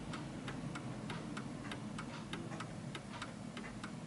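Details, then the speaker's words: 1940s Hermle 8-day Art Deco chiming clock, pendulum just hung and swung. Ticks about every quarter second with slightly irregular spacing, so the beat sounds a little uneven. "so at the moment it feels like it's a little bit uneven because you can hear the ticking"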